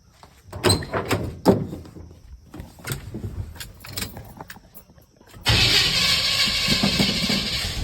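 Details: Chevy K20 with original 350 V8 and Turbo 400, about 200,000 miles, starts up and runs rough with a light ticking from a bad lifter.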